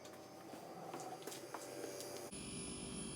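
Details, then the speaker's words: GE Profile refrigerator PGCS1RKZA that flashed lights and would not cool, after replacing two 470uF 25V capacitors on the control board: ticks and clicks, then the compressor starts with a steady low hum and a faint high whine; running normally. "like compressors on got some high-pitched whining out of this thing but that might be normal I don't know"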